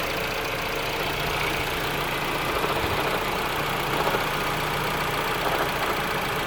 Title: Ford Focus Weird Noise